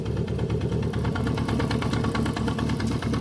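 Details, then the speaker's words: 1973 Honda CB350F at warm high idle around 1200 rpm, after an 8-year layup and rebuilt carbs: light, rapid metallic clatter over the exhaust beat; owner suspects the primary chain rather than the timing chain, unconfirmed. "I don't know how much platter is acceptable on these but after watching a video of a guy that's got one of these apart I'm wondering if it's the primary chain not the timing chain"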